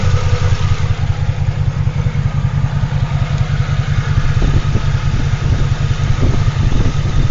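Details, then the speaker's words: Toyota Tacoma X-Runner after a burnout, idling unevenly with a stumble roughly every second under the deep exhaust throb; it sounds like a misfire with no loose coil, and a loose bolt is found at cylinder 4. "Sounds like a misfire though. We might be okay."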